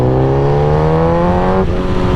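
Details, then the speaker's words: 2008 Suzuki GSX-R 1000 after fuel-system gas treatment, accelerating in third gear from 3,000 rpm, where the problem used to be worst. The engine note climbs evenly with no stutter or misses; clean, smooth pull, and the earlier noise is gone. "and and again they didn't stutter it's not it's not pooling hard on third gear"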